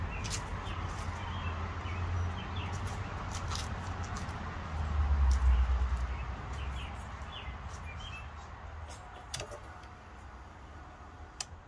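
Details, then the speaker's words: 2005 AWD Chevy Astro van with a weakening battery (slow windows, radio cutting out), 12.6 V at rest: slow labored starter churn about two to three turns a second, sagging and stumbly; battery too weak to crank properly. "Let's see if it starts up here. I don't suspect it'll be an issue. Stumbly there. I don't know, I don't like that."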